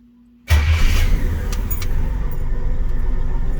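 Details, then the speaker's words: 1963 Chevy II Nova 400, long unused and still missing at part throttle (owner suspects carb and rusty fuel): starts instantly with no long cranking and settles into a steady, even low rumble; starts easily. "this thing fires right up it's awesome"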